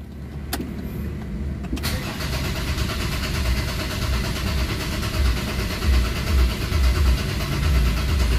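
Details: Ford Ranger common-rail diesel after bleeding the filter, pump, common rail and injectors: short crank, then it catches and settles into a slightly lumpy idle that evens out; normal start.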